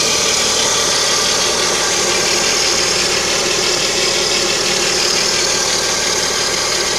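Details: Lada Kalina with the 11194 engine at idle: a persistent high-pitched hiss-whistle over an even idle. Timing belt suspected, not confirmed.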